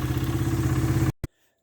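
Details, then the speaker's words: 2001 Honda XR100R single-cylinder after cam chain adjuster adjustment: about a second of steady, even thumping idle with no top-end clatter; earlier cam chain noise gone after adjustment. "so here it is running nice idle just perfect had a little bit of a cam chain noise and then i adjusted it right here and i can't believe it it just went away"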